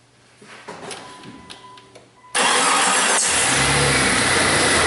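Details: 2000 Jeep Cherokee Classic 4.0 six-cylinder, about 130,000 miles, after repair of a single-cylinder misfire (P0300/P0306); engine catches and settles into a steady, even idle with no skips, misfire monitors at zero, running clean.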